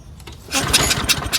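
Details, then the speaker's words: Craftsman 22-inch self-propelled mower with Briggs Quantum 6.75: ran on starting spray, then a quick pull-start rasp with a few uneven chuffs that never catch; won't restart without spray, dirty carburetor suspected. "Yeah, so it doesn't want to restart again without the spray. So it probably just is a dirty carburetor."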